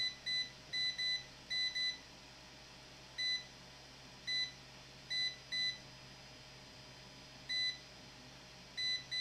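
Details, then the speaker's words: SK Hynix BC511 SSD that stopped working, probed with a meter in continuity mode: short, high beeps, about a dozen in nine seconds, ringing through to ground; a short to ground, possibly a bad diode. "we have a short in here we have a short in here so what can it be guys it definitely could be a bad um um diode obviously if this is ringing right now"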